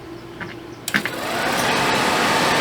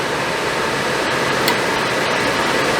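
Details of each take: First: RV Suburban furnace removed from RV, bench-run on 12 V (owner suspected bad motor): steady rough whir with scraping edge, noisiest at shutdown; fan wheel rubbing housing suspected, to be torn down and tightened. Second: Suburban RV propane furnace, bench-tested out of the RV after reassembly over a suspected failing fan motor, fired and running: even, steady blower rush with a smooth hum and no scraping, normal quiet operation.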